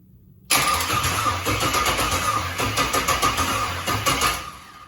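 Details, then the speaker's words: LS-swap engine (all-aluminum, 36,000 miles) on a 41-year-old wiring harness: the starter whirs steadily for about four seconds with even pulses but never fires, and the battery is running out of voltage. Crank sensor suspected, not confirmed. "Go ahead. Stop. You're out of voltage now. Now it won't start."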